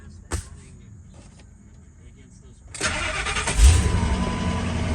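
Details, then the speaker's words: 2000 Ford F250 or 2003 F350 Super Duty, cold start in neutral with foot on brake after neutral safety switch work and battery reconnected; short crank, catches at once, even steady idle; normal cold start. "Perfect. Cold start. The brakes, put in neutral. Super easy."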